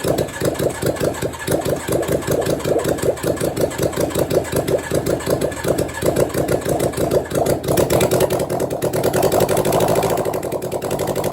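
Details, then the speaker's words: 1983 Suzuki GSX750ES four after rebuild, carbs newly installed, just started with no exhaust fitted, maybe on choke: loud raw rapid popping idle settling to a steadier beat; sounds like it runs on all four. "it's actually doing something and sounds like it's running on all four uh i guess the next thing is to put the exhaust system on so that it doesn't"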